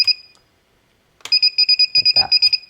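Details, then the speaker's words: FPV quadcopter buzzer wired to a Naze32 board, triggered from a transmitter flight-mode switch: a quick string of rapid high-pitched chirping beeps, buzzer working normally. "so when you go in your flight modes and you push this up you'll hear it start bumping start"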